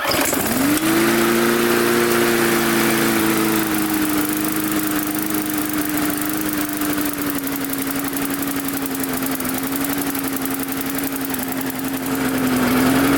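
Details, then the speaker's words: Mid-2000s MTD Yard Machines push mower after tightening a very loose blade. Runs a little better, fairly steady but sagging and surging slightly; the loose blade loosened the carburetor off the intake pipe, and the carburetor diaphragm needs reseating or replacing. "I also notice due to that blade being loose it's loosened to the carburetor up here you can see the carburetor is not sitting fully on to the the intake pipe there"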